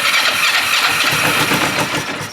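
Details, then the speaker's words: Used motorcycle with an aftermarket dual exhaust whose tank had apparently been drained, first start on a little fresh fuel. It catches with a rough, uneven sputter but can't hold idle; fuel starvation. Owner unsure whether it's knocking. "oh look at that it wants to so it's trying to run I just can't tell if it's knocking"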